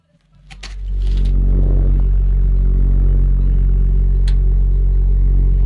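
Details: Garage stove with built-in injector burner: a low, steady roar builds within about a second, then holds even with no sputter or surging; burner running normally.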